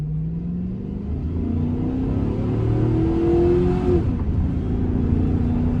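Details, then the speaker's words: Chevy Suburban on its first drive after sitting 7 years, with previously noisy valve train and additive added: pulls smoothly through the gears, tone rising and dropping at each shift, no hesitation, stumble or miss; runs healthy. "I mean, she's running good. Smooth. There's no hesitation in her one bit. I'm pretty impressed with it for sitting as long as it did. It actually runs pretty good."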